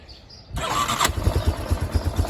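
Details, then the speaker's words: 1992 Yamaha Big Bear 350 4x4 ATV, mostly restored, cold start in neutral with handbrake on: fires instantly on first crank and settles into a steady even single-cylinder thump at idle; normal start. "Handbrakes on, starts up on the dot."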